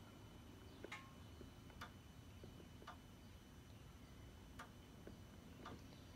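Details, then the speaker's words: Ford (Explorer/Flex/Taurus/Edge) ABS hydraulic control unit, left front inlet valve activated by scan-tool output test while checking a soft brake pedal: faint crisp clicks about once a second over a quiet hum; valve working properly. "it's faint but you can hear it see if I can get you closer back here just to listen so hopefully you can hear that so left front looks good inlet valve"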